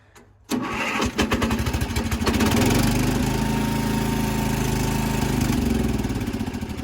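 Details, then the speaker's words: 55-year-old Montgomery Ward lawn tractor single-cylinder engine, started on a marine battery charger after an earlier start with choke stalled when the clutch was released, now without choke: short crank, catches quickly, steady even putter with no misfires; normal start and idle. "Oh, baby, she runs. She runs good, too."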